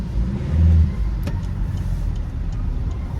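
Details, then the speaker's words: Vauxhall Insignia driving after fixing leaking, loose EGR valve (snapped bolt removed), which had caused a boost-leak-like noise; engine pulls smoothly under a low even rumble with no hiss or whoosh. Normal acceleration. "wow the car pulls really well now guys oh I'm so happy obviously I'm not going to know on until I go into the motorway but so far I can tell there is no boost leak sounding type of noise"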